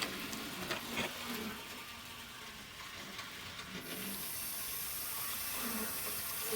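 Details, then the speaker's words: Graham Farish N-gauge Hall locomotive that squeaked, with the squeak traced to the armature bearings, which were lubricated. After reassembly, running in the forward direction: a faint, thin, steady high whir from the small motor with no squeak; the drive runs smoothly. "And I don't hear any squeak there in reverse. Oh, sorry, it's actually in the forward direction. Yep, that sounds nice."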